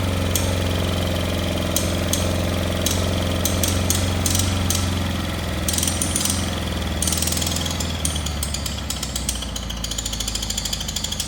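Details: Cub Cadet Cyclops lawn tractor, Kohler 18 twin, cold start after oil change to 10W40; loud, rough twin with uneven chattering firing beat and harsh exhaust bark, seemingly not firing both cylinders; owner first suspected muffler, coil or plug; blown head gasket found.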